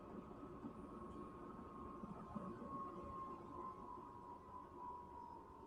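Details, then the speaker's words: Chinese diesel heater (Silvo) powered down, blower running on to cool down since shutting off completely could break it: quiet, steady fan hum at one pitch, no combustion roar. "fob I want to make sure that it keeps blowing even as it's uh these diesel heaters you can't they don't stop on a dime something you realize about that they got to keep blowing uh if it were to shut down completely then um that that could break it"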